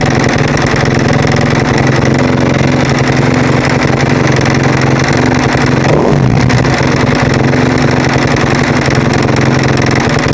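Loud single idling with a rough, clattery edge and one quick blip; there's an odd mechanical noise, source not pinned down.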